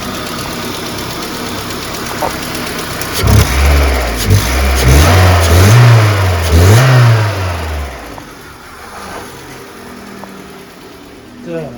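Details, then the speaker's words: VAZ 2110 (Lada) with LPG system, brought in not running properly on petrol, misfiring and no idle: just started cold, revs a few times then settles into a quiet, even idle; no stored errors, waiting for warm-up to check lambda and fuel trims. "Так, завелась. Вона ще холодна. Отак. Бачимо, працює."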